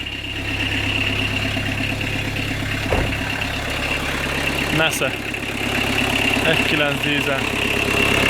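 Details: Fiat Doblo 1.9D converted to a mechanical SDI injection pump, idling after cam timing was corrected from one tooth late; steady diesel clatter with a few handling knocks, no misfire or hunting, idle a bit high: a healthy idle.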